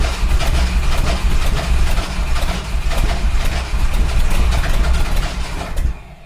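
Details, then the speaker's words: 1971 Ford F100 big-block V8 with makeshift battery wiring: heavy low cranking with a few strong firings that never catch, then dies; nearly starting but not running. "Oh, it's so close. Ah, come on."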